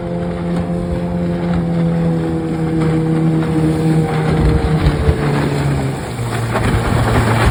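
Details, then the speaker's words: Restored 1996 Johnson 15 HP outboard, model J15RED0, on a lake test after a stuck thermostat and its gasket were replaced; it was thought to have caused overheating, heat-sensor shutdown and bogging. Steady buzzing drone holds its pitch with slight dips, under wind. Normal running. "Just starts up idles real good. Like I said, I changed the handle, the stop switch, redid the cover, decals, everything on it. She runs great."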